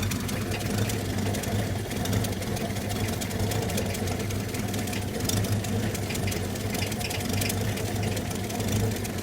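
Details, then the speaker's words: Old carbureted truck with new generator and voltage regulator, fan belt tightened, voltmeter reading only 6.2 V: slow uneven loping idle with low thumps, barely running; owner believes idle speed set too low. "in time so soon as I disconnected the battery it shut off but I believe that's because it's idling so low I think if I turn the idle up or it's getting more voltage it'll um it'll be fine"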